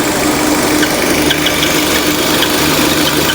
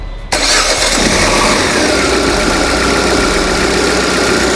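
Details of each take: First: Peugeot/Citroën 2.0 EW10 engine at steady idle with a faint high whistling hiss over the engine; punctured PCV diaphragm noise. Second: Peugeot/Citroën 2.0 EW10 engine after replacing the valve cover with damaged diaphragm: quick clean start into a smooth, steady idle with no ticking, rattle or the earlier annoying noise; normal start and idle.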